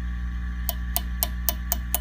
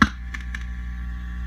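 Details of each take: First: Fender Custom Shop '57 Twin tube amp, harsh and noisy when overdriven: six quick, dry taps on a preamp tube over steady amp hum, with no ringing or crackle, a healthy non-microphonic tube; two other preamp tubes proved microphonic. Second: Fender Custom Shop '57 Twin tube amp, harsh and noisy when overdriven: a tap on a preamp tube gives two brief crackles over steady hum, showing microphonic preamp tubes; two preamp tubes were bad.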